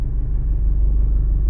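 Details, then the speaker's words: Nissan X-Trail diesel after an engine rebuild, injectors and pump reportedly bench-tested fine, warming up: deep, lumpy idle with an uneven pulse and cabin vibration; third cylinder not firing, found by disabling injectors, dead cylinder misfire. "зараз буду вичислять яка форсунка не працює третій циліндр не працює"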